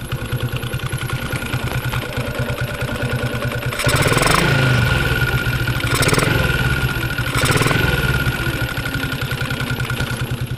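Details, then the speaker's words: Yamaha Jupiter MX single-cylinder idle with throttle blips, spark plug socket unplugged: a steady thin, whistle-like hum under the exhaust beat that also affects the lights. A faulty stator coil is humming. "bunyinya ada ngungngung kayak gitu lah"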